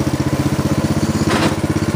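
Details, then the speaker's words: Snapper riding mower, friction-disc drive after repair, engine at idle speed, driving and backing up: even steady thumping around ten beats a second, no grinding or knocks; by design noisier than most transmissions; normal drive noise. "show off their back up in these transmissions by their design they will have more noise than most"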